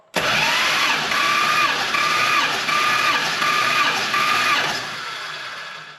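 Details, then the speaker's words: Warm Hemi V8 muscle car engine cranking with all plugs out during a compression test on the last cylinder, readings good and within 20 psi; steady starter whir with even pulses, normal cranking. "All the plugs were out so we could see if we have any blown head gasket and compression loss between cylinders. So we're on our last cylinder now. All the numbers look real good."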